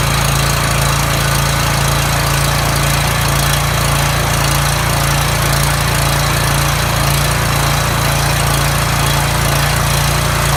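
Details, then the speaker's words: Coleman generator engine after governor replacement (part 277-42201-33): steady even drone at governed speed, no hunting or surging; tachometer shows about 3590–3615 rpm against 3600 rpm spec. "that sounded wonderful alright so what I did with using this tachometer I got the machine up to 35 I'm 90 and then on the high side it goes up to 39 36 15 so that's right in the ballpark you want"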